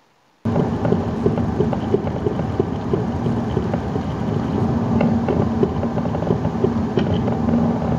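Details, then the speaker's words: A Saab 9-3 driven over tarmac makes light, fairly quick knocks from the front end over road rumble. The cause is a worn front lower wishbone (control arm) ball joint, which shows play when the wheel is wiggled. "the main symptom that you'll get particularly in the early stages of wear is a light knocking noise did which eventually develops into a heavy knocking noise coming from the front of the car"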